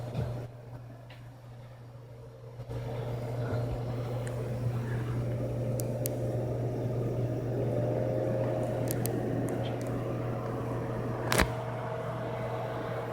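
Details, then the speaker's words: PC power supply after fixing coil whine by gluing the buzzing coil with hot glue or neutral silicone: only low steady hum, soft fan air and a few clicks, no high squeal. "as you can see guys there is no more coil wine we finish the job fans nothing no coil one bye bye coil wine"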